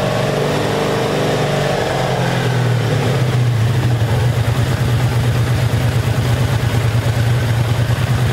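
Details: 1984 Honda Saber VF700S V4 after long storage, airbox off: settles into a steady, deep, even idle with no knocks or misses; sounds good, though it should run better with the airbox fitted for carburetor back pressure.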